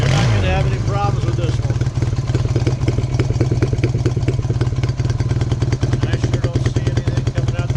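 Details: Fully restored 1972 Honda CB175, cold start at ambient temperature on fuel reserve: starts easily and settles into a quick, even idle with a crisp exhaust beat and no misfires; healthy small twin.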